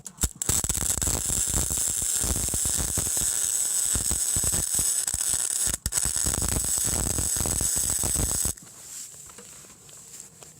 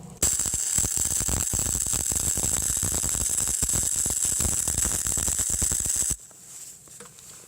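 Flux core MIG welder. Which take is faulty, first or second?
second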